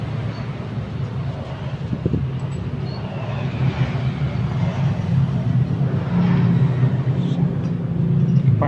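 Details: Yamaha Mio Sporty scooter with a noisy CVT, engine still stock, a giant ring shim fitted on the rear pulley: a low engine drone with a rough rattle rising with revs. Cause: worn front pulley and roller housing, worn torque cam grooves and pins, and a seized pulley bearing.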